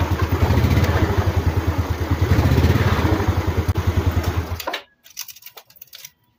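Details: Small single-cylinder motorcycle started on a new DAYWAY 5L battery (12.56–12.68 V standby): settles into steady even idle, then shuts off, no misses or knocks; voltage rises to 13 V, regulator charging, healthy.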